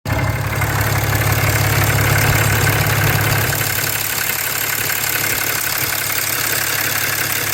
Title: 6.7 Cummins Ticking Sound Near EGR